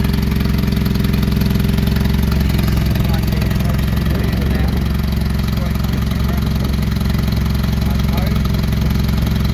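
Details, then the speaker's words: Older points-ignition petrol engine idling loud and raw with a steady low chuffing about four times a second from an exhaust leak, heard while checking timing marks. "Okay, I hope you can hear me above that exhaust leak."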